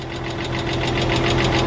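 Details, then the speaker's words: 1999 Porsche Boxster that sat for years, first start after storage: a fast, even ticking clatter over a rough idle keeps time with the engine. Hydraulic lifter noise is suspected and expected to fade after 10–20 minutes of idling; not confirmed. "they always do that with the lifter since they're hydraulic lifters and you gotta let it sit for about 10-20 minutes idling to get rid of this knocking noise"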